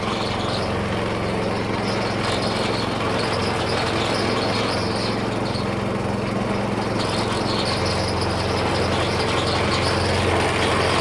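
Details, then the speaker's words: Small engine on vintage gold trommel after starter clutch fix and air leak sealed, water pump spun fast; high busy steady speed with constant mechanical clatter, hardly any water; pump running too fast, low flow. "I got it spinning pretty fast and it's hardly pumping any water. So I think speed, as far as the oscillation, the faster it goes, the worse it gets."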